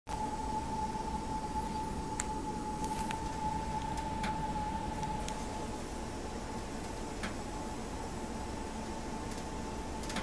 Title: Ticking Noise